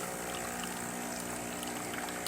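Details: Breville espresso machine after service (OPV adjustment, pump problems) dispensing hot water: steady hiss and trickle of water flowing evenly from the outlet, pump humming smoothly underneath; normal hot water dispense.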